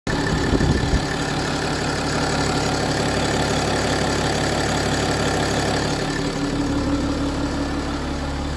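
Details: BMW F15 X5 with N57 diesel at idle: busy, uneven rattle over steady clatter; suspected timing chain noise, not confirmed.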